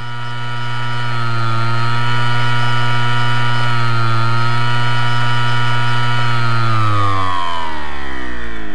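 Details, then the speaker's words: Hard drive with worn or broken spindle bearings unable to reach full speed: steady low hum with wavering whiny overtone that sags and winds down; hard drive spindle bearing failure. "the hard drive itself spins on Tiny bearings if they were out or break your hard drive won't get up to full speed and it could sound like [Music]"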